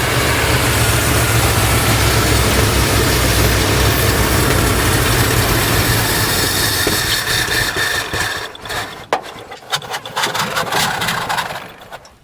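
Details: 1986 Chevrolet K30 dually carbureted V8, first run, oil pressure and alternator charging, most carburetor vacuum ports uncapped: fast even idle about 220 beats a minute before shutoff; high idle from open vacuum ports.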